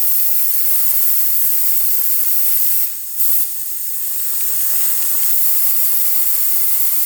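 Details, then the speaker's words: 2000 Honda CR125 two-stroke crankcase pressure test: steady high hiss of air escaping immediately, leak traced under cover at crank seal; no bubbles at head gasket, power valve, exhaust or coolant. "all right let's see what we [Applause] get it's leaking out right away"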